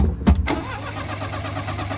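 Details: 1988 Daihatsu Hijet carbureted mini truck, sat for years, hot after running, pedal pumped then floored: steady cranking with a couple of pops that never catch; hard hot restart, its longstanding problem.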